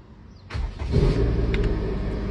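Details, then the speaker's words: Car left unstarted a long time with a fully dead battery, jump-started using only a powerbank jumper on the battery: short crank, then catches and settles into a steady, low, even idle with no misses; normal start. "Alright kereta pun dah berjaya dihidupkan. Hanya menggunakan powerbank jumper ni sahaja guys."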